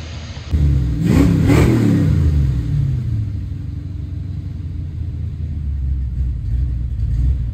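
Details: Foxbody Mustang 302 V8 with B303 cam, T5, 3.73 gears, running after sitting since about 2021; crisp blips up quickly and settles to a steady, even idle with no miss or knock, owner says it sounds pretty good, normal idle and revving.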